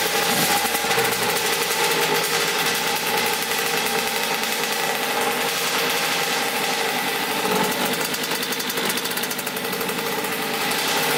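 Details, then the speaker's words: 1989 Kawasaki KX80 big-bore 110 two-stroke, started first kick: a fast, steady idle that won't come down; an air leak at the carburetor is suspected. "I think there's like an air leak right here by the carburetor I'm gonna push the carburetor a little bit more and see if that works but because it doesn't waddle down right now we're gonna see"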